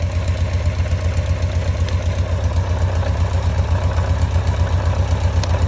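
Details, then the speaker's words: Carbureted motorcycle idling after replacing a home-modified airbox with an original one: even steady low thump with regular beat, no misses; owner says idle is regular for the first time, perfect. "Le son il est régulier, c'est un truc de fou. J'ai jamais eu ça. Voilà, c'est parfait."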